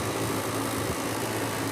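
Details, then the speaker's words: Home AC not cooling, house near 80°, outdoor unit at about 79° ambient: steady fan whoosh and airflow hum with no compressor drone or refrigerant flow; only the condenser fan runs, compressor off. "It sounds like it's on. I ain't feel no refrigerant flow. Maybe that's just a fan. Yep, we got only fan"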